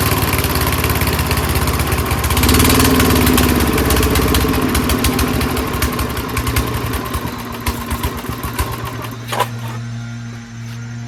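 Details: Old monster snowblower's small single-cylinder engine, stored winterized for years, started on choke with starting spray through the air-filter vent after showing good compression; it catches and runs with a quick, fairly even putter of about four beats a second, running normally.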